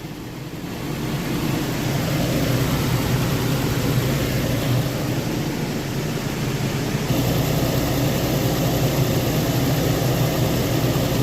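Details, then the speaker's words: Nissan idling after fan clutch and belt replacement: smooth even low hum at steady level, no belt squeal or chirp; quiet normal idle. "I will check the belts now. How quiet it is."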